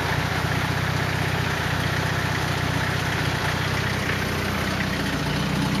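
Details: 240 KA-T engine at idle: a low idle rumble with an uneven rhythmic beat about four per second over the exhaust note; abnormal noise, cause unclear.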